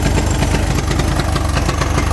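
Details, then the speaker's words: 1983 Honda 200E three-wheeler, first start after sitting; small single-cylinder thumps unevenly with ragged hunting idle, dies at idle despite mixture screw adjustments; carburetor needs rebuild or replacement. "Oh yeah. Sounds like I gotta do some adjustments on an air mixture screw probably."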